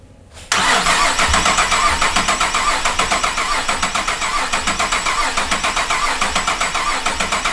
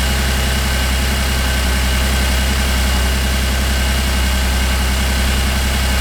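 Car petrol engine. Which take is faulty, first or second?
first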